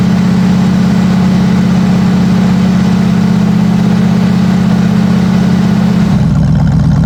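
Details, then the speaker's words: Rebuilt Oldsmobile 350 V8 in a Cadillac Seville, first start after rebuild with a new distributor, fresh oil and gas: deep, even rumble at steady idle with a smooth low beat and no knocks or misses; runs cleanly. "Man, was I thrilled and nervous at the same time. But now listen and enjoy the sound of my rebuilt Olds 350 V8."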